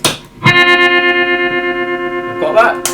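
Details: Fender Twin Reverb after a lead was replaced (old lead had a break): sustained guitar chord with a steady even volume pulse about six per second; the amp's vibrato now works properly.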